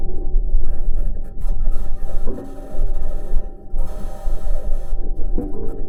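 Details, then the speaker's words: Perseverance Mars rover driving: irregular low bangs, pings and rattles in uneven bursts as its metal wheels roll over rocks, plus a high-pitched scratching the team has yet to explain. Normal wheel rolling noise. "we can hear the bangs pings and rattles from metal wheels rolling over the rocks"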